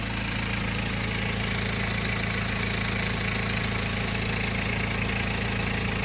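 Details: BMW N47 20d 177 PS diesel at idle, May 2020, about 30,000 km after a January 2019 timing chain replacement, same phone as before: even low hum with mild injector tick, no chain rattle, slap or scraping; timing drive sounds healthy.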